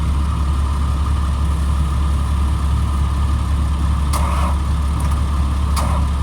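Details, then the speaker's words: 2003 Blue Bird All American 72-passenger bus, parked six months, empty fuel tank, started on starting fluid with new batteries and weak jumpers: deep, even idle holding steady, no knocks or misses, a few handling clicks; normal idle. "the jumpers are kind of weak so but it does run when i say it runs it runs water sounded good"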